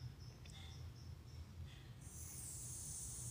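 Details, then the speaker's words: Gas-powered cordless portable soldering iron, newly bought: faint click, then steady high hiss halfway through as the gas valve is switched on and gas flows; normal before lighting. "suara mendesis kayaknya membuka kita tutup lagi"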